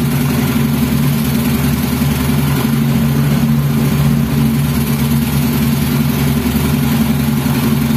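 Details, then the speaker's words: Yamaha Mio scooter engine on the bench, no frame, running on homemade wiring for its DC battery ignition, with Pertamax fed from an external source and the intake sealed with a bolt and hose: kick-started, it settles into a steady, even idle with no misses. "teman-teman untuk sepeda motornya itu sudah nyala bisa teman-teman dengarkan untuk di bagian mesinnya Oke ini sepeda motornya sudah menyala ya"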